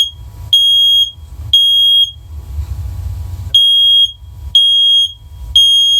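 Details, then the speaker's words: First Alert first-generation hardwired smoke-only bridge unit, unlinked and tested individually with the test button: loud, piercing high beeps about once a second, each roughly half a second, clean and steady; this unit works. "Alright, so that one works."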